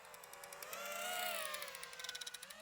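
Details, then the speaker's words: iFlight Nazgul Evoque F5 V2 FPV drone in flight. A quick ratcheting tick comes and goes over the rising and falling motor whine; something loose is rattling on the frame. "this thing's falling apart"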